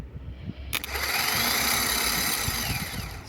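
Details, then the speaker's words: Opel Astra G 1.9 CDTI automatic, no-start: starter removed and powered directly spins to a high steady whir about three seconds; via solenoid it only clicks without turning, so solenoid contacts fail to close while motor spins freely. "так зараз вже не работає да втягующе щолка а він не крутиться хотя якщо подати плюс на самий"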